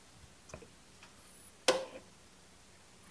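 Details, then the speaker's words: Bobcat zero-turn mower no-start, parking brake set, arms parked: one sharp click on key turn, no cranking; almost battery voltage reaches starter so solenoid works, starter motor fails; solenoid clicking, starter not cranking. "I've got almost battery voltage going to the starter so I know that the solenoid is working"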